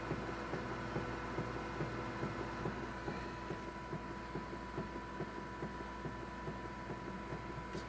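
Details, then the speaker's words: Canon MF733Cdw printer with Canon starter cartridges, waiting to print: steady electrical hum with sharp clicks a little over once a second; prints skip lines when it clicks, source of clicking unclear. "So it clicks and it prints out weird. It's like missing lines or things like that."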